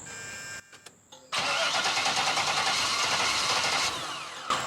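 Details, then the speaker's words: 1975 Chevrolet Corvette Stingray V8 with Edelbrock carburetor, sat for years: cranks briefly, catches and keeps running only while the gas pedal is held, then sags and wants to die at idle. Carb rebuild planned after checking vacuum lines. "so that's with him giving a gas we could keep it running but as soon as he let go of that gas pedal just wants to die"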